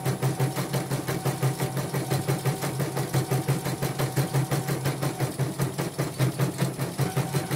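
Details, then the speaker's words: Portable embroidery machine shipped from Sekayu, South Sumatra with complaints of no embroidering, blank screen, hoop not positioning and dead touchscreen; test stitch after mainboard, LCD and touchscreen work: quick even needle beat over steady motor hum, no skips, knocks or grinding; normal stitching. "Oke, saya ngetesnya segini saja ya, karena sudah kelihatan hasil oke. Oke, sudah oke lah ya."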